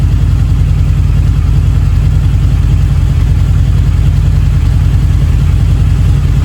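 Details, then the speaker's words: Harley V-Rod, first start in at least 4 years with fresh 91 octane fuel and new battery, warming up: deep steady loping idle, no knocks, smoking; owner suspects penetrating oil squirted in cylinders wetting the plugs. "I squirted, like a month or so ago when she was selling it, I squirted oil in those cylinders a little bit. I went kind of heavy with it, with a penetrating lubricant, so I'm sure those plugs are wet."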